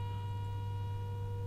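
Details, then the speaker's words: Nordmende Elektra 58 radio, FM IF alignment with AM-modulated 10.7 MHz signal from generator, adjusted by ear to null AM: steady pure test tone over low hum, AM tone leaking through FM IF. "what we're trying to do is kill off the am signal getting through i reckon that's about as good as you'll get"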